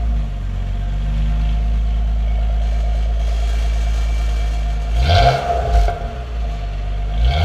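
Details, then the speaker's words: 2012 Nissan Maxima after new exhaust installation that fixed a leak (it previously popped, leak from a loose single screw): deep even idle and a couple of smooth revs, no popping or ticking; exhaust sounds sealed. "The rest of the exhaust is solid, so I'm kind of interested to see how it sounds without the leak."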